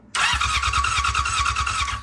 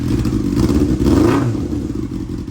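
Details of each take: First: 1999 Yamaha R6 four-cylinder cranking: steady starter whir with even compression pulses, never catches; ignition output peaks only about 6 volts instead of hundreds, wiring good, so a faulty, misaligned pickup coil is suspected. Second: 1999 Yamaha R6 bought as a non-runner, after fitting a TIG-welded exhaust sealed with doubled mesh gaskets at the header: clean quick revs rising and falling evenly, sounds not terrible; normal running.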